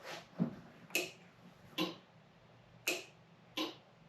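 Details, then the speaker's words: 1972 Pontiac Ventura Sprint with a newly installed engine, key on then removed: sharp, uneven clicks about once a second that react to touching the steering wheel. Horn relay solenoid clicking; fault inside the steering wheel suspected. "yeah I still hear that c noid clicking like crazy there's still lots of clicking are youing with anything it's the horn solenoid going crazy"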